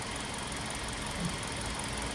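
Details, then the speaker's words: Hyundai Accent after cylinder head replacement (old head badly pitted), about 6 minutes into an idle run watching temperature and for abnormalities. Even steady idle, no knocks or misses; normal idle, no change so far. "Hanggang ngayon wala pa rin pagbabago. So ganun pa rin yung andar niya. Ganding galing talaga."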